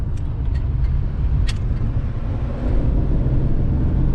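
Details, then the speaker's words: 1998 Camaro on a test drive after replacing rear axle bearings and refilling with limited-slip friction modifier: steady low tire rumble only, rear axle noise gone. "yep it is gone noise is gone perfectly now the noise I'm hearing obviously is tire noise"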